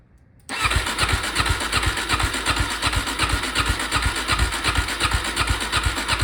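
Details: Suzuki DRZ 400 dirt bike, sitting unused for five years: the starter cranks with even pulses, nearly three a second, but the engine never catches; it cranks without firing, tried before adding starting fluid.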